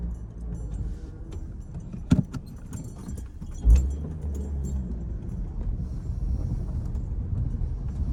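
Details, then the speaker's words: 2012 Hyundai Elantra after replacing cylinder 3 ignition coil and clearing codes, driving: keys jingle over a smooth, even engine drone, no stumble or shake; misfire gone, formerly on three cylinders, now all firing. "Guys, I can already tell you that it's running great right now. Um, [Music] it was completely out on a cylinder. So, it was only operating on three cylinders. And now it seems to be running really nice."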